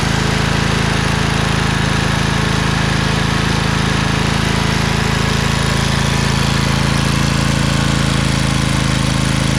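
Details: Craftsman LT2000 lawn tractor repowered with a Briggs 20HP Intek V-twin, owner suspects a blown gasket. After about 10 minutes with PTO engaged: smooth, even drone at constant speed, no misses, knocks or hunting, no smoke. Normal running.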